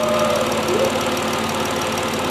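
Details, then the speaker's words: 3.7 Duratec swapped into a Ford Edge with an SCT-tuned 87 PCM reading as a 3.5, first start after the swap: steady idle, even mid-pitched hum, no misses or surging, no fluid leaks; a vacuum line was still off; normal idle. "that is smooth that is smooth any fluids no no fluids wow that means the system's working wow wow look at this folks smooth it idle down it's idling smooth"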